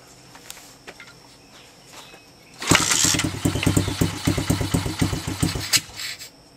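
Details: Honda XL70 pit bike with Chinese 125 engine, choke on: quiet, then catches and settles into a quick, slightly uneven putter at raised choke idle; normal cold start.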